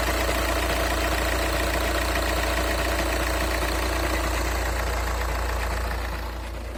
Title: Стук на холодну, Шкода А5, 2.0 тді 125квт